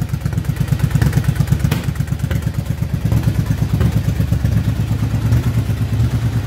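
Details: 2007 Yamaha V-Star 1100 V-twin after a carburetor rebuild for flooding and fouled plugs, with an oil change: lumpy, even low thumping at about three beats a second, no misses or pops; normal steady idle.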